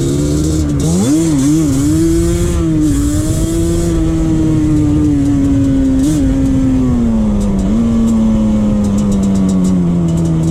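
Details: 2001 Yamaha Banshee 350 two-stroke on a POV ride after new clamps fixed an exhaust leak. Crisp, sharp note climbs and falls through the gears with no puffing or ticking; normal, sealed two-stroke exhaust note.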